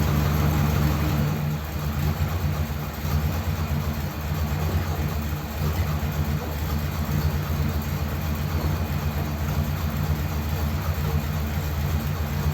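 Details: Ford Thunderbird started after sitting unused for ages, nothing done to car or battery, no choke: low idle with an uneven, loping beat that wavers rather than holding steady; slightly rough idle.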